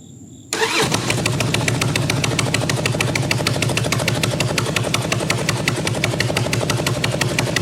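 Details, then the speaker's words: 1997 Harley-Davidson Road King Evo Big Twin that won't idle: with no nut on the rear cylinder head exhaust flange, the exhaust gasket is completely blown out, giving an uneven, loud chuffing with sharp puffs at every firing pulse; possibly sucking air too. "there's no nut on that rear cylinder head exhaust flange, and so that exhaust gasket is completely blown out. So that's probably not helping the situation here too. It sounds terrible."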